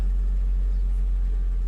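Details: Nissan Frontier pickup just started after sitting almost two weeks; steady low rumble, no knocks, skips or hunting, smooth normal idle.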